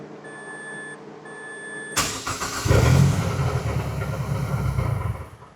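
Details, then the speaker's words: Mazdaspeed 6 engine just reinstalled and started after sitting nine years, coolant filled: starter churns, engine catches with a stumble and uneven hiccups, then settles into a shaky low idle; rough start. "All right. Little hiccup there. She's trying."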